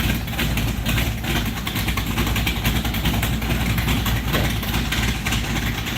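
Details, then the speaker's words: 1968 Barracuda V8 at first start-up after build: loud, lumpy but steady burble through open exhaust, even idle without dying, fan working; small fuel leak noted afterward, possibly at the fuel pressure regulator. Normal idle. "we even got fan working that's awesome I couldn't even hear the damn thing over the exhaust"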